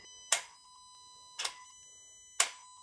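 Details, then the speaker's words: Renault Clio 4 0.9 TCe, ignition on, motorized throttle body test commanded from a diagnostic tool: three sharp clacks about a second apart over a faint steady tone, no grinding or buzzing; throttle flap moving normally. "and you can hear the throttle body flap moving"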